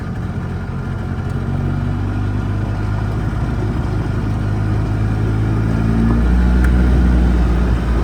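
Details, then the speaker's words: Edsel running on its choke, which swings between four-stroking and rich: engine hums along with slight surging, then loses pull as if starving. Fuel delivery issue suspected, and it behaves differently under load. "She hungs right along and then out of fuel. I think we have a fuel delivery issue."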